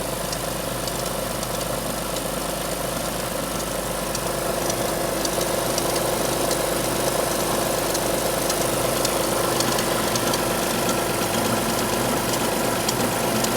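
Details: Alfa Romeo 156 V6 in for timing belt replacement, cold start: fast, fairly regular light ticking about twice a second over the engine hum; two abnormal noises heard on cold start, unnoticed warm; cause unclear.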